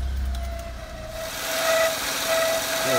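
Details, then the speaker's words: Peugeot 107 idling, auxiliary drive belt not loose but could be tightened more: thin steady squeak wavering near the end from the belt area; belt squeaking rather than squealing, owner suspects tension. "I think it can just go up a little bit more and that's where this noise is coming from it's it's the belt is squeaking it's not squealing"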